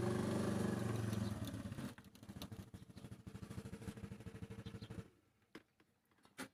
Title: Hello help me no start engine